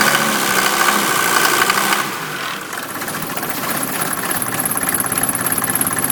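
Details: 1988 Mercedes 190D diesel on waste vegetable oil, rough idle with a harsh metallic clanging about 200 times a minute. It also smokes heavily and the cabin reeks of diesel; cause not pinned down, owner asks if normal.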